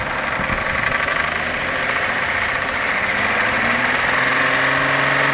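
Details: VW Jetta: rattle of about four beats a second over the engine hum, noticed from start-up and again around 1500–1600 rpm and rising with revs. Cause was worn OEM intake manifold runner shift rod bushings, which rattle on acceleration and deceleration; fixed by replacing the bushings.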